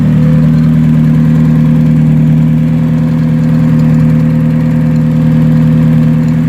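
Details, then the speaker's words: Hyundai Tiburon turbo with LSD, not yet fully warm, pulling off in first gear at about 5 mph: a smooth, even engine note that picks up cleanly with no knocks or rattles; it sounds healthy, though fuel pressure still needs setting. "Everything sounds good."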